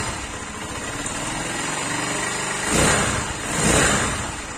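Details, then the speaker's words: Zanella ZR150 after replacing its rusted, cracked original exhaust with a Honda XR150 exhaust: soft, even single-cylinder idle with light pushrod valve chatter and two brief blips. Much quieter than the original; the engine runs normally. "Bueno, realmente el cambio es notorio, porque si no se escucha muchísimo más fuerte con el escape original. Ahora en realidad empezamos a escuchar el ruido de estos motores varilleros, que se escucha más."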